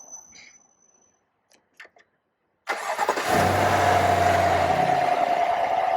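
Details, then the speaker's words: 2020 Chevy Silverado Trail Boss LT 5.3L V8 just after K&N Blackhawk cold air intake install: starts promptly, smooth even idle, no leaks, hiss or whistle; normal start and idle. "Sounds good, no leaks, no hissing, nice and smooth."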